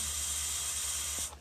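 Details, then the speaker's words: Corona plasma reactor running, ozone smell noted from ionisation, umbrella-shaped discharge visible: steady even high-pitched steam-like hiss, no crackle or sputter, then cuts away; normal corona discharge. "Ya, tapi yang paling mencolok dari plasma corona itu adalah bunyi desisannya seperti ini ya."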